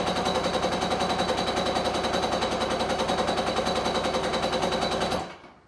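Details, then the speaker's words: Kawasaki 750SS small-pin motor swapped into an SC jet ski, motor ran before: steady starter cranking, the engine never catches, then it stops; spark confirmed, owner suspects fuel not being pulled through the fuel line. "yeah all right guys I couldn't get it to start so I checked spark sparks go"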